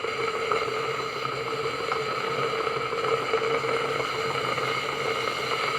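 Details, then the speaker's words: Tefal Access Steam Force DT8270G0 handheld garment steamer, 2000 W, 200 ml tank, new unit; steady hiss over a faint constant pump hum, no sputter or gurgle, normal steam output. "steam output coming out I'm giving you a sense of the sound or noise level from it as well"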